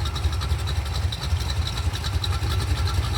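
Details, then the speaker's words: Budget $3K small-block Chevy 350 on a test stand, restarted after a 20-minute first run and a new filter, through old Sonic Turbo mufflers. It has a quiet, steady loping chug of about three to four pulses a second: normal idle. "It's got a nice little ka-chugga ka-chug. Now, guys, these are a super super quiet muffler here."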